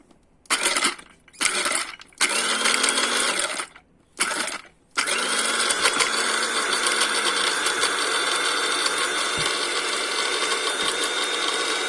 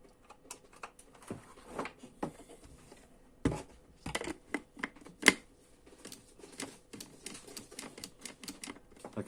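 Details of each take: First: Mueller 135 W coffee grinder model MCG-335, tested with nuts inside after repairing a blown thermal fuse: a few short bursts, then a steady high-pitched motor whir, speed even, no rattle; grinder runs normally. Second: Mueller 135 W coffee grinder, model MCG-335, plugged in: sharp irregular switch clicks but no motor hum, nothing runs; fault traced to a blown thermal fuse.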